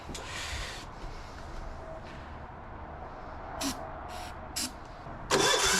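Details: Gravely C10A repowered with a 418cc Yanmar-clone diesel, cold start after fixing a fuel leak: the starter churns unevenly with a few sharp puffs but never catches. It cranks but will not start.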